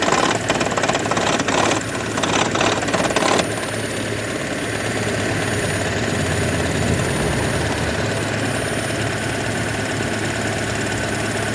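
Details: 2012 Toyota Prius warm petrol engine idling while the hybrid battery charges, often in ECO mode: uneven knocking rattle, loudest at first, then steady heavy drone; absent at cold start, also at low speed; coils, plugs, injectors, PCV, EGR already replaced or cleaned.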